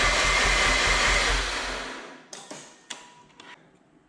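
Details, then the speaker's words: 2007 Mazda RX-8 rotary, sat about two years and quit running, third cranking attempt: rhythmic cranking about two seconds, no catch, winds down and clicks. Coolant reserve empty, owner suspects coolant seal; low rotor compression. "it looks like we're a no-go there."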